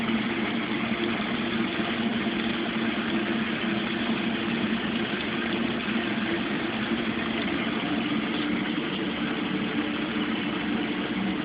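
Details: Mueller Special Brazilian washer, cold-fill-only machine that heats water itself, duvet load on 60°C wash with extra rinse, start of cycle: steady even rush of incoming water with low hum, no knocks or surges; normal cold fill.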